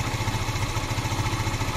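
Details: 10-year-old 150cc Yamaha FZ motorcycle, cold start after spark plug change: steady single-cylinder idle with an even low thump and no stumbling or hunting; idling normally.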